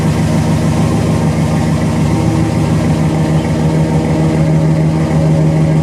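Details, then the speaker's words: 1977 Chevrolet C10 V8, rebuilt engine, restarted after sitting about two years: steady, even idle with a low, smooth burble and no knocks or misses, so it is running normally. "How about it? It's running pretty good."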